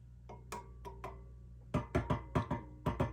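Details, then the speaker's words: Sound City L100W MkIII tube guitar amp on the bench: tapping the chassis and rubbing a knob produce ringing thumps with a tonal ping through the speaker plus background hum; all four preamp tubes are microphonic. "Something's microphonic though. We'll find out what it is. All of the preamp tubes are incredibly microphonic. You could hear it just rubbing on the knob there, if you'll pardon the imagery."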